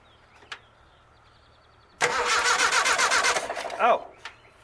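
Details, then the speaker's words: Rat rod engine during a tune-up: brisk starter cranking near four turns a second with no firing at all. It will not start because the coil wire is disconnected; it ran once the wire was put back on. "run better if I put the coil wire back on."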